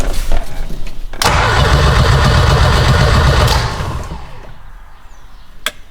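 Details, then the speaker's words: Big-turbo six-speed wagon cranks steadily about three seconds with even compression beats but never catches; the ECU shuts off during cranking, likely because the switch 12 relay used cuts out with the key in crank. "For some reason, the ECU is turning off when I crank it. That's a new one."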